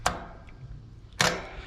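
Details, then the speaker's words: Single-pole AC condenser contactor, 24 V coil being energized by hand: two crisp, sharp clicks about a second apart, a clean solid pull-in with no buzz or chatter; the contactor closes normally. "I'm going to take one side of the coil off and you can hear it and see it clicking in."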